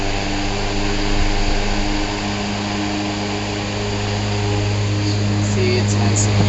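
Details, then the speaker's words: 1907 Westinghouse tank fan model 60677, restored with resealed windings, run direct without switch: centrifugal switch kicks off, slow start, then low steady motor hum with smooth even whoosh of air, no rubbing or rattle; runs healthy. "let's plug it in and listen to this baby speed up you'll hear that centrifugal switch starting and then it takes off slow but it's a great little fan here we"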